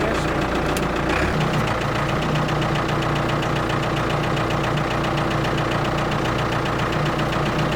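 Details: Ford 655A backhoe diesel, abandoned machine revived, steady even clatter at constant speed with no knocks or misses while operating; engine sounds good, blow-by basically none, normal running.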